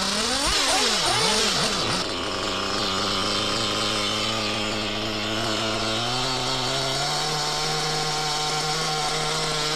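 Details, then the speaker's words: Used Reds R5T Team Edition nitro RC engine: it buzzes and climbs in pitch with a raspy hiss on top, still present after changing the clutch and clutch bell. The owner suspects a worn rear bearing. "let's see now if it's still making that strange hissing noise [Music] well sadly still making the heing noise I think it's a rear bearing"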